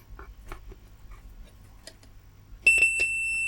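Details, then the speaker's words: JBL EON 515XT bi-amped active speaker with a bass-only fault: the horn driver, fed a test tone directly, plays a clean steady high beep without buzz or distortion. The speaker is good; the technician suspects a fault on the amplifier. "that's the speaker so we know the speaker is good"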